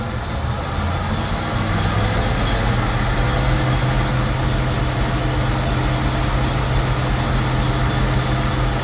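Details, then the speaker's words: Gleaner M2 combine diesel engine, warmed up a little, at idle: steady, even rumble with deep constant hum, no knocks or misses; normal idle. "Runs good. Alright, she's warmed up a little bit."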